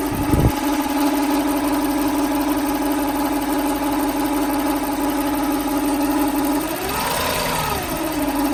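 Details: 1995 Lexus SC400 V8 after new OEM timing belt, water pump, pulleys, idlers, plugs, wires, distributor caps and rotors: smooth idle with a steady light tick and faint whine from the top end, possibly bank 2; source unidentified.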